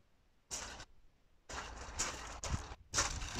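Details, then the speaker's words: Audi TT 1.8T 20v, key on, engine off: the electronic throttle body makes repeated harsh buzzing bursts instead of a few clicks; the internal controller is faulty, reset failed, and a new unit fixed the intermittent fault. "but that it's far too noisy for what it's supposed to be doing and it normally do a few clicks and that's it"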